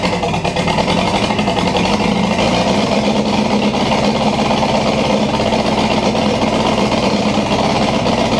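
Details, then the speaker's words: 1984 Toyota Land Cruiser BJ60 diesel, first start after bleeding the injectors and 15 seconds of glow plugs: it catches instantly with little smoke and a steady, busy rumble that hangs high, as if wanting to run away; cause only suspected. "wow that was easy all right kind of sounds like it wants to run away on me there"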